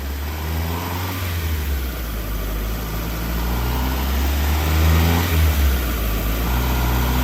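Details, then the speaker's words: Mazda Miata (M2 car) with mystery ITB engine on the dyno, second full-throttle pull: deep roar climbing smoothly, no pinging or knock heard; same horsepower as the first pull. "sounded good up here no pigs are in no noise"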